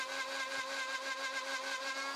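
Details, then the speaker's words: Router cutting a jig joint with a straight-cutter flush trim bit: high whining tone pulses several times a second as the cut loads and frees, the bit struggling to clear dust and packing with chips. "Still, the straight cutters on that flush trim bit just seem to struggle to clear the dust effectively. You can hear the pulsating sound it's making as it tries to hog out all that wood."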